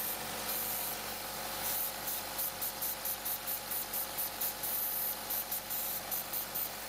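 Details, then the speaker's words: First-gen Chevy Sonic, GM Ecotec 1.4L turbo, codes P0106 and P1101: loud airy vacuum-cleaner hiss over the idle with quick pulsing bursts from a failed PCV valve in the cover, replaced with a new cover. "engine definitely not normal for this little sonic you hear it right there so if you're hearing that you got the codes that's your crop"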